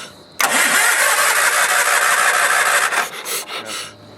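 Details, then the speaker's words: Sears Craftsman FF/20 that hadn't run since 2009, on fresh fuel after siphoning crud from the tank, choke pulled: steady cranking churn for a few seconds, weak sputters, then dies; cranks but won't start, only the fuel pump working. "And there it goes. Nothing. Only the pump's working."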